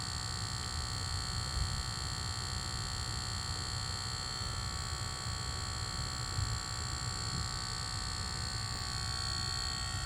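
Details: Lucid car parked: faint steady electrical buzz of several fixed high tones, cause unknown; not cleared by switching profiles or the first reset, and a logo reset is tried next.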